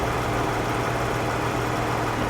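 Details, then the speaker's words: Low-mileage Dodge with light hail damage at salvage auction: low, steady, quiet idle hum with no knocks, misses or rattles; engine idles healthily. "he still got yourself a nice cool color low mileage dodge and she runs good she's quiet listen to that"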